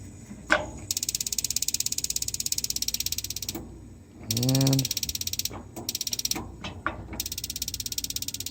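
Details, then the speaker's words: FireMagic built-in gas grill after gas valve replacement, test light: steady rapid igniter clicks about three a second, then soft whoosh as burner catches; igniter needed slight adjustment, firebox rusted; valve replacement appears successful, igniter and burner lighting normally. "ignites just a little adjustment on that igniter"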